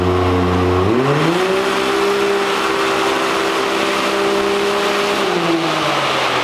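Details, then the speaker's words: 2022 Can-Am X3 on a dyno with an injector tune and the stock factory clutch: revs sweep fast to a high, flat howl and hang like a free rev under load, so the stock CVT clutch is slipping. "So we're definitely pushing the limit of the factory clutch."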